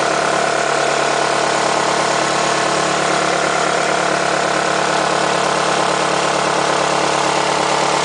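Steady idle with a fairly regular light ticking, about three to four a second, riding over the hum; source undetermined.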